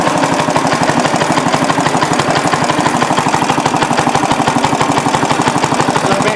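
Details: Restored rare Briggs & Stratton NR6 6:1 gear reduction single-cylinder engine, first run after restoration with a cooling fan blowing: even firing about three beats per second, steady speed, no misses or knocks; healthy and clean.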